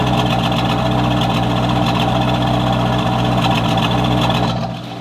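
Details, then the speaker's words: Chevrolet Corvette Z06, about 21 years old, about 35,000 original miles, long-stored V8 with check engine light on: uneven, lumpy, tractor-like misfire at idle; owner suspects spark plugs, plug wires or ignition coils. "hearing it it's barely misfiring right now but I'll play a video where you can clearly hear that something's"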